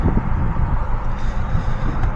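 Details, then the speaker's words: 2013 Jeep Patriot 2.4L with 115,138 miles, check engine light: lumpy idle rumble with an irregular stumble; scan shows P0302 cylinder 2 misfire, plus P2299 brake/accelerator pedal incompatibility. "Idle feels like it's got a little rumble to it."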